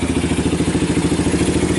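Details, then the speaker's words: 1990 Kawasaki Bayou 220 single-cylinder junkyard ATV, carb replaced, recoil starter rebuilt, good compression, after cold start: quick even idle putter, no misses or knocks, charging the battery, a little smoke blowing smoke rings; normal idle. "actually sounds good oh it's even charging the battery those are pretty bright"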